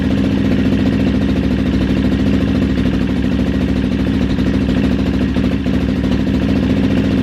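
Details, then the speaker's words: Kawasaki KXF400 quad after carb fix, slide plate had been installed backwards/upside down: even strong single-cylinder thump, steady beat, no misses, pops or rattles; idles and runs great. "Alright guys, quad runs great, idles, revs up just fine, all because that one little plate on the slide was backwards, or upside down."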